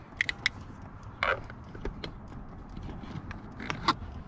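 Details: 2018 Chrysler Pacifica: irregular light ticking and tapping from behind the dashboard, a few per second, from a defective HVAC air inlet/blend door actuator (right/first of three actuators broken), heard while the car is switched on; replaced with part 68164960AA.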